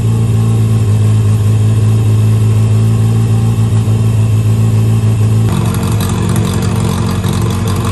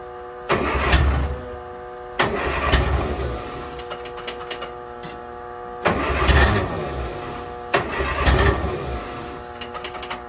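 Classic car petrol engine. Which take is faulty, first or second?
second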